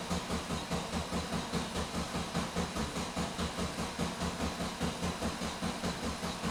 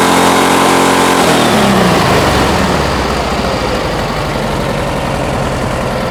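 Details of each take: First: 1971 VW Bus with newly installed 34 ICT/EPC dual carbs and exhaust, fuel still filling the lines; even starter chug for about eight seconds that never catches, then stops; cranking, no start. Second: 1971 VW Bus 1600 flat-four with newly installed dual carburetors and exhaust, during carb balancing; engine revs up smoothly and settles into an even, steady idle with no misses or knocks, runs healthy.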